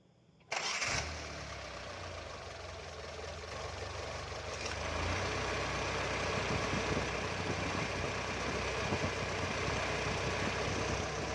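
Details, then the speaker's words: Car AC compressor with a worn magnetic clutch: engine idles, then a rough, raspy whirr rises each time the clutch engages or disengages; clutch pulley bearing noise, old-stock clutch fitted temporarily. "you can hear it clearly the pulley bearing is making a bit of noise sound its make rough sound each time the clutch tries to engage or disengage"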